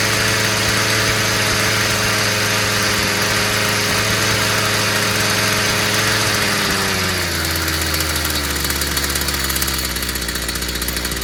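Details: Stihl FS 55 brushcutter, previously dying and not starting despite new plug and carburetor, after clearing a clogged exhaust: steady high-pitched buzz dropping smoothly to a settled idle after about seven seconds; runs clean.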